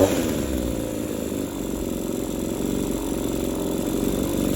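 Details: Two-stroke hedge trimmer, engine burnt up with no pull-rope resistance yet still running, won't stay idling, held at full throttle: rough buzzing scream with uneven crackle underneath; burnt, scored piston, low compression.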